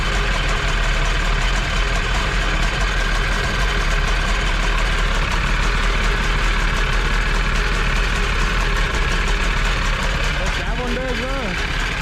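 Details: Jet boat two-stroke with freshly rebuilt carbs, on a water hose: steady low rumble at even speed, no stumbles or misfires; running smoothly.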